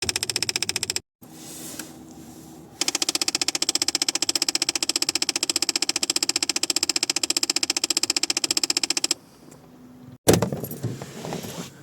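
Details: Ford Fiesta Mk7: rapid, even clicking from behind the dashboard when changing temperature, heater blend flap actuator skipping over stripped gear teeth; fixed by replacing the actuator.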